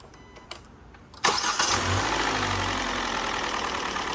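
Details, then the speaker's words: 2017 Hyundai Elantra 2.0 after engine swap, first start with fresh fluids and oil change, replacement engine about 40,000 miles, chassis about 75,000: quick crank, catches at once, smooth even idle with no ticking or knocking; healthy. "good sounds good these this engine has 40 some Thousand Miles the chassis itself is at 75 I believe sounds very good"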